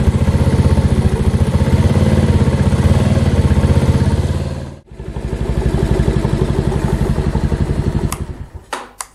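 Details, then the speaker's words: Mash Fifty 50cc with a replacement Lifan engine, first start after installation, choked with fuel opened: the small single-cylinder putters evenly at about four beats a second, dips briefly, recovers, then shuts off cleanly. Runs healthy. "May help to open the fuel. Now that sounds much better."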